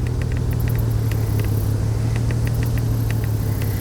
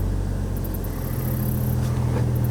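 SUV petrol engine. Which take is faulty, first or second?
first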